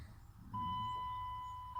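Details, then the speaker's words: 2000 Dodge Durango 5.9, cold start with the key on and a 'no bus' odometer fault: faint background, then a steady thin whine as the fuel pump finally primes after exactly 8 minutes. Cause later found to be a burned fan-harness wire shorting under the radiator. "You just sit and wait it out. And hopefully, eventually, you hear the fuel pump come on."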